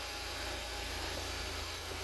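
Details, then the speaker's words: Ford Fiesta, believed 1.0 litre, with lean code P2187 after fix, just restarted, still in open loop: even, steady idle with smooth low hum and airy hiss, no stumble or surging; normal idle, sounding much better. "Okay, let's start up. Sounding much better."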